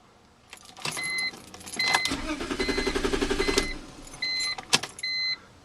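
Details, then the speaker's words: 2002 BMW 325i four-door, owner added gas: door chimes, then starter cranks with even rapid chugging for over a second but never fires; crank, no start, cause unknown (owner wonders fuel pump or starter). "um whenever I turn the ignition it always it cranks but it doesn't start"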